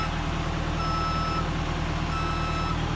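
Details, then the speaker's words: HA130RTJ lift switched to ground controls with axles not fully extended: over a diesel idle come two long high-pitched beeps, each about half a second, a second apart, warning the axles aren't set. "it's giving you an audible alert saying hey there is a problem something's not set"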